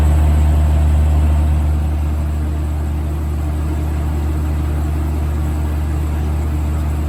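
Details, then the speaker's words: 1980s Super dehumidifier with R-12 refrigerant, final test after fan motor replacement, grille and bucket fitted: steady low hum with even fan rush, no rattles or knocks; cold and collecting water, running smooth and healthy. "here it goes [Music] oh yeah that's moving a lot of air [Music] [Music] that's getting cold already oh yeah [Music] there it goes"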